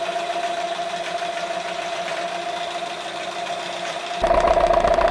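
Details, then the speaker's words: Engine knock that the owner does not hear: a sharp, fast metallic rattle of about three or four knocks a second that gets harsher as revs rise. Visible play in the crankshaft and especially the piston pins points to worn piston pins. "я решил вам показать что действительно на данном коленвалу есть стук особенно в поршневых пальцах"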